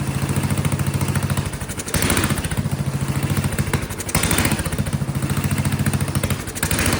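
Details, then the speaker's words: Vintage Kohler motorhome generator, flathead engine (guessed 400–500 cc), after fiddling with carburetor adjustment screws, not improved: low single-cylinder thump rising and sagging every two seconds; owner suspects gravity feed gives too little fuel pressure for a carb with a spring under the float. "You know, it's probably designed to work with a slight positive fuel pressure, which is probably why that little spring's in there. And so being gravity fed, it doesn't have very much pressure at all."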